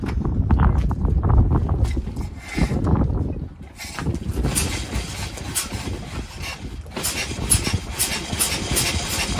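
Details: 1901 Curved Dash Oldsmobile started after about 10 years in storage, using the choke and without the compression release: slow, lumpy single-cylinder chuffing settles into a steady beat; it runs fine.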